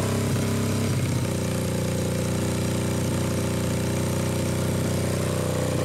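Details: Suzuki GS500 twin in a mini buggy build, being warmed up before a warm compression test without the fan: uneven, lumpy idle at about four beats a second with no clean rhythm; low compression.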